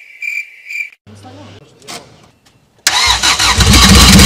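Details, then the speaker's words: Rebuilt Honda D-series in budget Civic track car with Skunk2 Stage 3 cam and aftermarket throttle body, first start with no coolant: starter whirs, then engine fires hard and runs loud and choppy, a rough lope typical of an aggressive cam. "Did you hear it? It ran. This little bad boy ran and it was so choppy."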